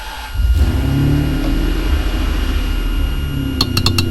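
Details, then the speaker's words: Ferrari 575 first start after DIY timing belt service, fresh oil and coolant: catches quickly, good oil pressure, settles into smooth even idle with no knocks or ticks; healthy. "well we got good oil pressure started right up and then a grenade these are good signs"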